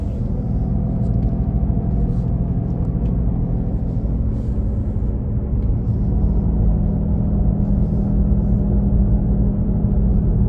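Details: 2017 Nissan Leaf: deep, steady engine-like droning rumble from the rear under low road hum while driving, loudest at 40-50 km/h but present at other speeds; source undetermined, owner asks if normal.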